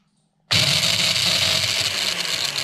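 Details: Mixer grinder motor run on the bench with direct supply, motor held with pliers: loud harsh rattling whir, rough and noisy rather than smooth; points to a worn shaft bush, to be replaced.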